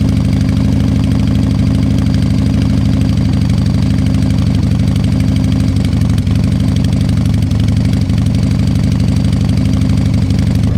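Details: Harley-Davidson Fat Boy Evo 1340 V-twin after winter storage, carburetor cleaned, started on jumper cables after long cranks and suspected flooding: deep, loping potato-potato beat at a low, even idle; normal idle.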